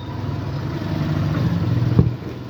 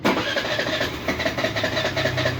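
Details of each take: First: Suzuki Burgman scooter idling smoothly and steadily with a low, even hum after ISC calibration; it previously would not idle or start without throttle; engine speed now holds around 1600-1800 rpm, spec about 1700. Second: Suzuki Burgman scooter cranks with a rapid uneven chatter and won't start unless the throttle is opened slightly; idle speed unstable on the diagnostic tool; idle speed control (ISC) problem needing calibration.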